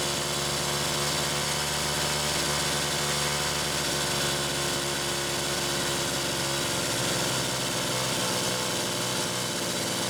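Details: Homelite Super XL chainsaw test run after carburetor rebuild: two-stroke revs up crisply, then drops to a steady, even idle with no stumbling or surging; runs healthy.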